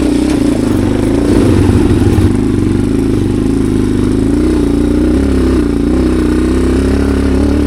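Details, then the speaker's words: Modified Yamaha TW200 (power and suspension mods) in the Canadian alpine: a low, uneven putter that wavers and sags, barely running and nearly stalling, before it catches. "She's hardly running. I can hear that."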